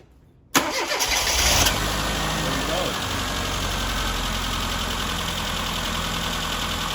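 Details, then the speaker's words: Classic Mini that sat in storage for nearly two years and seized its fuel pump, now revived with a new pump. After a second of quiet it cranks briefly, catches quickly and settles into a steady, even idle with no misfire: normal start. "finally so that's it guys up and running uh obviously a year of sitting didn't do any good for nearly two years sitting and uh managed to seize up our fuel pump"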